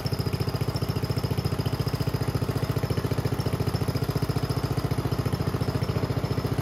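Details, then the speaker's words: Homemade junkyard go-kart small single-cylinder, after a carburetor clean with the air box off. It rattles with steady sharp pops about three or four a second, backfiring heavily. The owner thinks it is running a little lean. "okay well I'd say it's running it's backfiring like crazy which tells me it's running a little lean"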